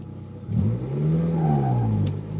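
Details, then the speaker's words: Stage 4 Competition clutch with new flywheel in GSR transmission, about 200–300 miles: thin squeak rising as the clutch bites pulling away from a dead stop in first or reverse, fading once engaged; owner suspects the clutch. "the noise seems to be from the first gear or reverse well letting go the clutch probably hear it by now that's from a dead stop"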